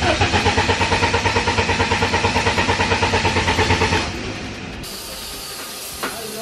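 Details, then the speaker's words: BMW E36 dirt car after sitting outside for months, in neutral and helped with carb/choke cleaner: steady rhythmic starter cranking, about three pulses a second, with no firing. It cranks but won't start, the same fault as before. "what do you know just letting it sit out back for a few months didn't fix itself you know what i'm saying"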